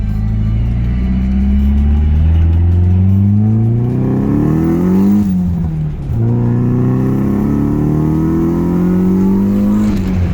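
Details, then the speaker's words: Car with an SR20DET swap and Garrett turbo, driving: the engine note climbs smoothly in two strong pulls with a brief lift, and the turbo spool is audible. Healthy, normal turbo spool under acceleration. "listen to that garrett spool oh man i really enjoy this thing i really really enjoy this thing"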